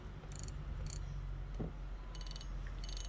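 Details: Daiwa Exceler LT 2000 spinning reel drag: short crisp ratcheting bursts of fine clicks over a quiet hum; newer 20 LT drag click is more distinct than the softer 19 LT; clean, working clicker.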